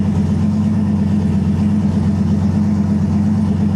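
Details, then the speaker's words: Freshly rebuilt 5.3 LS V8 (Brodix heads, BTR rockers) on E85, just swapped into a Nissan 240SX S14, first start in a cold shop, about 65 psi oil pressure: deep smooth even idle in gear, no ticks or misses; healthy. "look like 65 lbs oh baby she sounds good we'll go ahead and put it through the gears make sure everything's happy there"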